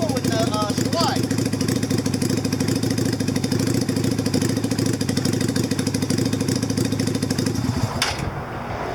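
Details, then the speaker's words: 2000 Yamaha Virago 250 (XV250) V-twin idling cold at about 40°F with an uneven, stumbling beat that never settles, after carburetor slide hole drilled and spring replaced; rough idle, slide hole suspected, not confirmed. "Hear how rough that idle is? I think it's because of that hole"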